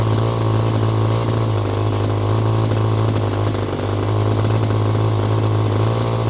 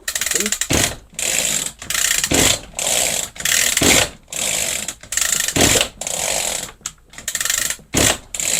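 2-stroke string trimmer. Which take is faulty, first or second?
second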